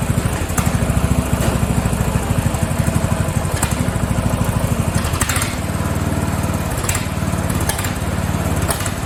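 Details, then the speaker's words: Free Craftsman riding mower (part 917.273760), single-cylinder, after tightening a loose pulley; heavy uneven chugging that sags then recovers; owner suspects it isn't getting enough fuel, not confirmed. "I think it's fuel. I don't think it's getting enough fuel. Yeah, I don't think she's getting enough fuel."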